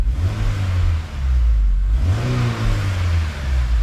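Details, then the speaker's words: Honda S2000 towed in not running after a funny noise and check engine light; after the repair (suspicions confirmed, not major), clean quick revs rise and fall smoothly twice with no stumble or popping; crisp, even, healthy revving. "so this one's done we can call her and let her know our suspicions were correct [Music] nice and crisp"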